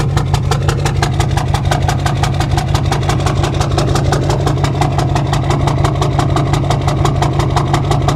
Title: 2006 Duramax LBZ Knock, Rough Idle